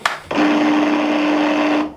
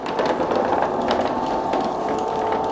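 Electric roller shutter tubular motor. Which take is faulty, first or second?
first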